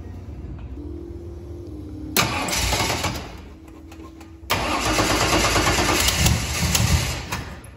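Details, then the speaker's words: 1973 Chevrolet Vega engine running at idle with a raspy ticking puff on exhaust pulses, still leaking exhaust at the header after a missing header gasket was replaced. "still leaks exhaust hold on hold on"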